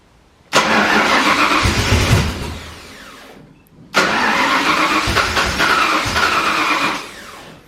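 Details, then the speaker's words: Foxbody Mustang notchback freshly rewired with Holley Terminator X EFI, first start attempt at night: two long even cranking bursts, engine catching briefly but never settling into a run; crank, no start. "Lights work. Alright. Let's see if she starts."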